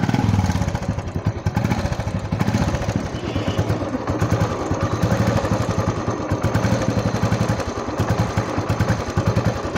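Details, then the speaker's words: Old Royal Enfield Bullet 500cc after repair (head block work, piston and rings, chain set, self-start fixed; previously engine noise and tik-tik), kick-started: even, steady single-cylinder thump at idle with no ticking or clatter; sound now clear, normal idle. "आप देख सकते हो finally bullet का sound भी अभी clear आ रहा है।"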